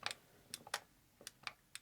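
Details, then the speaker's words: Arcade1up Galaga joystick after a simple contact-bending repair, machine running: crisp, sharp paired clicks as the stick moves, the microswitch now making contact properly every time. "click lets you know it's making contact but when it rides up it doesn't"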